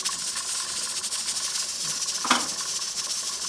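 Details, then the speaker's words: Pressure canner canning chicken stock at 10 pounds, stopper on and pressure nubbin up, 25-minute cook: constant high steam hiss with a short spurt midway, no rattle or sputter; holding operating pressure normally. "10 pounds. Got the stopper on. That little nubbin right there is up. So that is pressurized."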